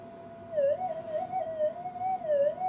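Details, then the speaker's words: Modified GPX metal detector on the bench, standard gain, switched from cancel to mono mode; wavering warbling tone near 600 Hz with faint higher overtone; mains electrical interference pickup, noticeable but less than normally with the anti-interference modification. "though it's in mono mode, the amount of electrical interference is not that great. I mean, it is. In reality, it's that great, but it's not affecting the detector as much as what normally would be happening."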